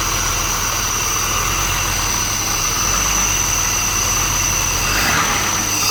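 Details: BMW 635CSi E24 with suspected idle control valve rough idle issue at cold and warm start, started cold with throttle body exposed: steady high hiss over smooth low rumble, no stumbling; holding a stable cold idle.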